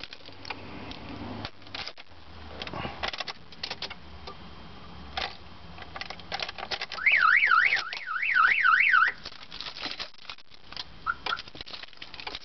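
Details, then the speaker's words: 2003 Nissan Sentra SE-R that loses all power when cranked: after the key is removed and reinserted, a loud warbling siren sweeps up and down in two bursts, then stops abruptly when disarmed; car alarm sounding. "taking the key out put it back in mom goes off"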